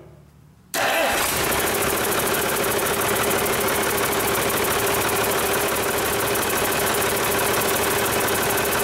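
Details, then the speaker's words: Rebuilt Cummins 8.3L diesel with inline pump, restart after rebuild, run briefly without coolant: cranks and catches quickly, even steady diesel clatter, no misses or knocks; good oil pressure, no leaks, healthy. "i like it well i think bailly would approve it sounds good to me uh we've got good oil pressure there's not leaking anywhere at least not yet so that's a good sign"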